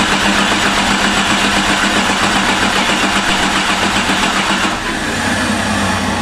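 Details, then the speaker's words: Jeep with a replacement engine that wasn't original to it, cranked after starting fluid. It catches but runs lumpy and uneven; a cylinder misfires because one coil boot was on the rail instead of seated on its spark plug. "That's weird cuz now we know it's running on six and don't want to run low. Is it seated correctly? I checked every single one of them. I know I did. One of them's off."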